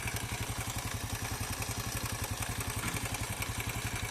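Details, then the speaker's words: Corven Energy 110 motorcycle engine idling: steady beat with light timing chain rattle plus an extra knock from one side, to be inspected on teardown. "y se escucha un golpeteo extra de este lado, así que ahora vamos a revisar."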